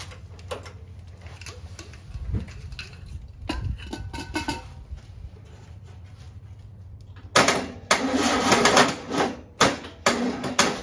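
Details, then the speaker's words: 1959 VW with original 36hp engine, first start after rebuild on a weak jump box: sluggish uneven cranking with scattered clunks, then a few ragged bursts as it barely catches; slow cranking, engine barely fires. "well looks like we're gonna um recharge a little bit more and come back and try it again but we did hear it run so kind of exciting"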